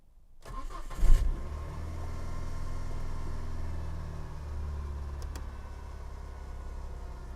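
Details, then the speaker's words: Saturn S-Series on a very cold January morning, check engine light, P0340, unburnt fuel smell: quick crank then low, lumpy, uneven idle with pulsing beat and engine rocking; misfire, running on two cylinders. "now it's doing it so it is running rough"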